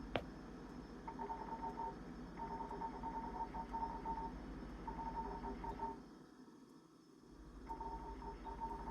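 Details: Jenn-Air high-end French-door three-door refrigerator with ice maker: short high chirps near one pitch in clusters every second or so over a quiet hum; recurring chirping that support calls "as expected", cause unknown.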